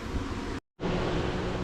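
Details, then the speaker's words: 2008 Yamaha Zuma 50 two-stroke scooter, first run after two weeks of rehab: low, steady two-stroke putter idling evenly, with wind noise and a brief cut in the recording; normal idle. "I've been waiting two weeks to hear this bike run and it's running"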